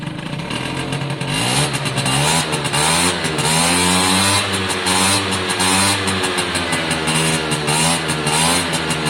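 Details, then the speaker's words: Suzuki AP50 two-stroke after carburettor cleaning, revved up to a clean, sharp high scream with no cutting out; revs must be built gradually, as opening the throttle suddenly stalls it. "when you build it up massive top end so listen to it scream"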